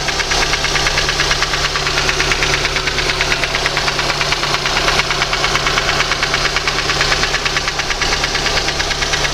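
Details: VAZ 2115 engine: sharp, regular knocking about two per second rides over a steady idle, clearly audible above the engine; engine knock, cause unknown.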